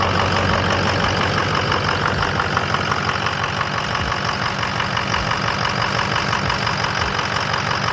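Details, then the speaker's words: 6.0 diesel truck after replacing injector number four (had rough idle and stalling): steady, even idle clatter at about three beats a second with no stumbles or misses; sounds much better. "when we got done and started it and we ran it a little bit yesterday it sounds so good it sounds so much better"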